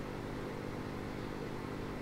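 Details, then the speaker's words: AM radio fitted with an FM receiver module, volume at zero: steady low hum with buzzy overtones and no programme, suspected bad smoothing caps making the module's 6.3 V supply ripple. "have almost what sounds like you know bad smoothing caps in the power supply so that six point three volts is problematic"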